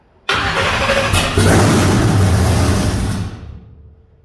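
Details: Supercharged big-block Chevy with fuel injection, startup before a hub dyno session: catches and barks about three seconds with a lumpy, uneven beat before dying off; rough running, later found eight injectors not working.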